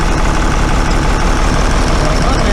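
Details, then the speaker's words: Cummins 6BT six-cylinder diesel in a bus, struggling to start and lacking power, warmed up a little, cold November: loud, lumpy idle through the clatter; running on about four cylinders, two very poorly. Misfire at idle. "no wonder we got a lack of power and it doesn't work properly we got six cylinder engine and on four"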